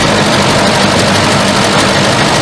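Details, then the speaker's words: 1974 Volvo 142 with fuel injection, off the road since 1988, first run without enrichment and little coolant: loud, uneven, lumpy idle that bogs; owner suspects the second injector is dumping fuel, unconfirmed. "hey pretty good oh we're bogging yep just parking on throttle i bet it's that second injector it's just dumping"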